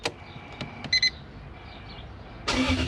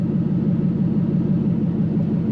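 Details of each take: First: Toyota KZN130 Surf with 1UZ Lexus V8 conversion, idle issue: V8 cranks, fires and blips with revs given by hand or foot, dipping, then settles to a high steady idle; faulty ECU, idle control not resetting, main relay not staying on at shutoff. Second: Toyota KZN130 Surf with 1UZ V8 conversion, warm at 79 degrees, idling about 700–750 rpm, no exhaust fitted, 32 psi oil pressure: loud deep steady rumble, even beat, no knocks or misses; normal warm idle.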